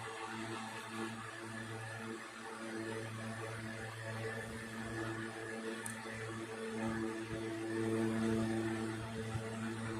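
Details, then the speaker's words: 1960s 16-inch Toastmaster box fan on high, first start in nearly two years after storage, owner thinks it may need cleaning and servicing; steady even hum, smooth airy rush, no rattles or scraping: normal running on high speed. "Okay, and we'll go ahead and turn it off. Definitely got some go in it, I'll tell you that."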